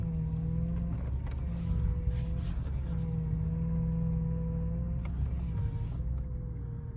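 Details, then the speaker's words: 30-year-old car at idle: a steady whirring power steering pump whine near 500 Hz, rising and dipping slightly. It becomes whale-like when turning, even though the pump was replaced before. "You guys hear the car right now? All of that noise is power steering pump whine."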